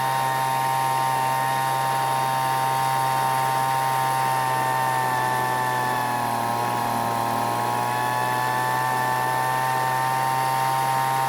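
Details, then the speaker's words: Weed Eater two-stroke leaf blower revived after long storage, H screw set to max engine speed then richened slightly to prevent overheating: steady high-pitched buzz at full throttle with one brief sag and recovery; clean, properly tuned high-speed running. "i then adjusted the h screw to find the max engine speed and then turn it just a little bit more for extra fuel to keep the engine from running hot and burning up the engine"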